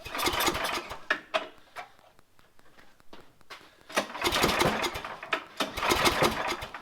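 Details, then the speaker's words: Craftsman MTD snowblower, Tecumseh engine, unused two years, very cold, starting fluid sprayed into intake: recoil pulls give short rasping spins, no catch; pull feels tight; clogged carburetor suspected if it fires; cranking no-start. "then i'm going to try and pull the rope and start it if it fires it's probably a clogged carburetor"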